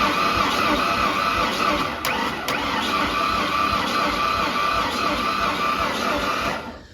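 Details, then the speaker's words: 1992 Ford F-150, 288,000 km, sat a year and a half, cranked with all spark plugs out: lumpy cranking rhythm, one stroke easier each cycle; owner suspects a low-compression cylinder on the passenger side, unconfirmed. "so we still hear that kind of miss in one of the cylinders where it goes a little bit easier to turn over. Since I have none of these in, it should mean I've got no compression on that side, so it's probably on the passenger side then that's my issue."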